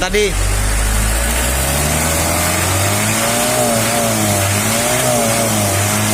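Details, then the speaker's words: L300 diesel idling and blipped after the tune-up adjustment. The earlier 'kletek-kletek tok-tok' knocking is gone and the engine rises and falls smoothly with throttle. Normal idle. "Oke Guys suara udah beda ya nanti kita lihat di depan nih suara langsung semakin ke depan mana yang kayak batu jatuh kemericik aku udah mau ngomong biar mana dia kletek-kletek kletek kletek tok tok nggak ada ya"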